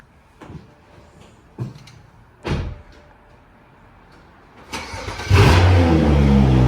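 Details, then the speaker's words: 2011 BMW 335xi N55 engine after spark plug replacement, started to check for misfires: a few handling thumps, quick crank and firm start settling into smooth, even idle without stumbles; runs fine. "All that's left is start it up, make sure there's no misfires, and she is good to go."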